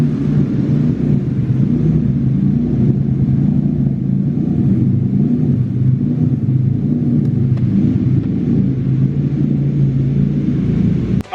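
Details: BMW E36 with M50B30 turbo engine, first start after heavy duty clutch install and coil pack refit; steady even low rumble with no misses, knocks or hunting, clean healthy idle.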